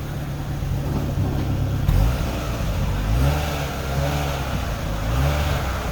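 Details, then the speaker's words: 2008 Chevy Aveo5 after a severe exhaust leak was cut out and welded: a deep, even exhaust note rises cleanly with each throttle blip, with no puffing or ticking, so the exhaust sounds sealed and normal again. "that'll do donkey success the car is right back to sounding like it should"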